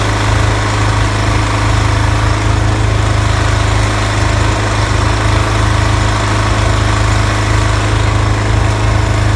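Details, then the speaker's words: Toro TimeMaster 30-inch mower after replacing spindle lower ball bearings and setting deck belts to correct tension: steady engine drone, blades turning smoothly with no grinding or rattling from the deck; normal running, loud rubbing noise fixed. "great we have repaired the issue with the mower unusual loud noises and problems with the blade engagement"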